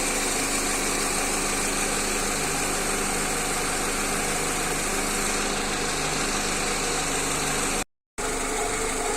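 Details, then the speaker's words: Engine idling with a fast, dry crackling clatter from the rocker arms starved of oil; the noise disappears once oil is added. "voici le bruit des craquements des culbuteurs vous allez maintenant voir quand je mets de l'huile et là le sens disparaît"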